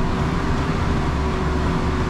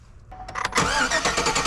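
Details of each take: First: 2003 Chevy Silverado 1500 V8 after fuel pump replacement: deep rumble rises and falls smoothly with no stumble or miss; revs cleanly and returns to idle very well. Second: 2003 Chevy Silverado 1500 cranking with a screwdriver in the fuel rail test port under the engine cover: starter churns steadily but the engine never fires and no fuel comes out, so fuel isn't reaching the rail; failed fuel pump.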